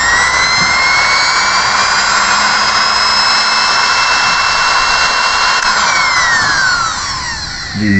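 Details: Sewing machine motor that had not reached full RPM, after repair and reassembly. A steady high-pitched whine holds at full speed without stutter, then winds down smoothly at switch-off. The motor now runs normally.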